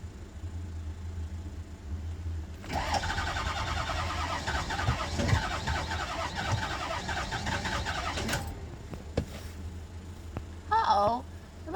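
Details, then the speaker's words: Bus with a 6.0 diesel: the starter spins it strongly and evenly for about six seconds, then stops, and it never fires. Battery judged fine since it turns over well: crank, no start. "The bus doesn't start. I hate this thing."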